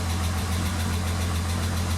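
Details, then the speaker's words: MK4 VR6 (Jetta/Golf/GTI) after power steering pump replacement and fluid top-up, car raised: smooth, even idle hum with no groan or whine; power steering pump running normally. "okay so I added fluid and makes no noise feels a lot nicer I mean it's up in the air but"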